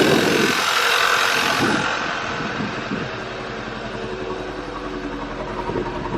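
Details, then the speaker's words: Audi A4 B8 TSI just started: idle stumbles unevenly with irregular dips and shakes, heavy fuel-smelling white smoke, misfires on cylinders 1 and 2 plus random multiple; flooded cylinder from stuck-open injector, and a bad engine mount noted. "got so much white smoke that smell like a lot of fuel foreign one of your engine mounts is bad too engine River circuit cylinder number one misfire detected cylinder number two cylinder saved in random multiple all right kill it"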